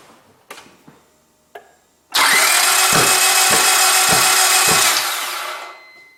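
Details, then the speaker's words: Gasoline car that won't start, spark plugs, cables and ignition coils tested and sparking fine: loud whirring crank for about three seconds with slow rhythmic thumps, never catching; fault lies elsewhere in the engine. "Okay, and then this final result tells to me that my sparking system is okay and there is no any issues, and then why my car don't and not starts, there is still something defect in this my engine"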